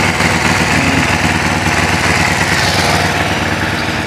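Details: Kawasaki Ninja that stalled suddenly and lost power, started: catches and settles into a steady, even idle with a smooth exhaust beat and no knocks, misfires or stumbles; oil pressure light goes out.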